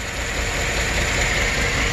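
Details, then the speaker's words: GM 5.3 DOD/AFM V8 Silverado/Sierra: uneven, lumpy misfiring idle with loose ticking clatter; rocker not moving shows the cylinder 3 intake lifter collapsed, causing the misfire; camshaft lobe may also be damaged. "So that's the source of the misfire, and that's the collapsed lifter."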